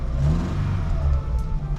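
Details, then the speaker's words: Fiat Panda restomod, with exhaust manifold, lambda sensor and heat shield just refitted, after about six months unused: revs up and settles with a smooth, even exhaust note, no ticking or blowing; sounds healthy and sealed. "Et là on est revenu sur un bruit un peu plus civilisé. On sent les chevaux quand même."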